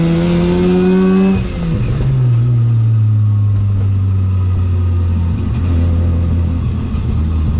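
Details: 13B rotary-swapped E36 ute on a drive, plugs possibly fouled from long idling and overfuelling: pulls from low revs with uneven stumbling beat, won't idle properly; low-rpm misfire, cause not found.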